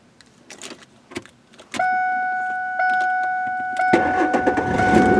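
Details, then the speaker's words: 2003 Ford F150 after ignition lock cylinder replacement: chime, short crank, and the engine catches cleanly and settles when the transponder chip is held near the lock; starts normally. "And there we go. So it did start out here, and of course this is where it would be if it were in the key."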